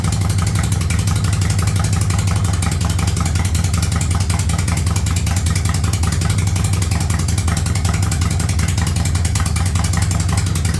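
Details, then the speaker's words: 1985 Yamaha Virago barn-find V-twin after single-carb conversion with DIY manifold, not yet at operating temperature: even steady idle around 1000 rpm, no misses, knocks or hunting; runs well. "well she's up she runs she sounds good I got her dialed in at about a th000 RPMs"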